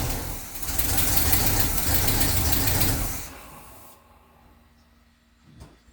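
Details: Barn-find car, cranked again: it catches and roars for about three seconds, then dies to silence. Starts briefly, then stalls.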